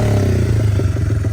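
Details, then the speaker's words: 1978 Honda XR75, not run since the late '90s, after carb tuning with replaced exhaust and air filter; small single thumps at a steady, even idle with a clean exhaust note, no knocks or misses, healthy running. "After this video, I did a bit of carb tuning, and uh eventually I got it to sound like this. Run nice and smooth, and took it for a rip down the road, and it runs fantastic."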